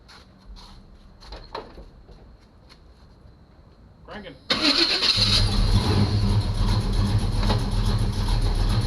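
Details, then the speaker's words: 1985 Chevy C10 short-bed V8 with newly installed starter, firing order checked, oil topped up, first start since purchase non-running: brief crank, catches at once and settles into a strong, even idle. "cranking it actually sounds pretty good it sounds awesome guys"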